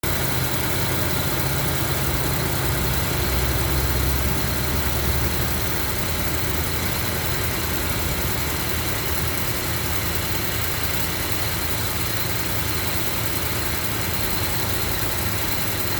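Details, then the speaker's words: 2008 Range Rover with 169k miles on a cold morning start: engine idles high, then rpm drops and the fan turns on, with a light, fast tick under a steady hiss and low rumble. "So now the RPM just decreased. And I guess the fan turned on. And it's that tick, tick, tick, tick, tick."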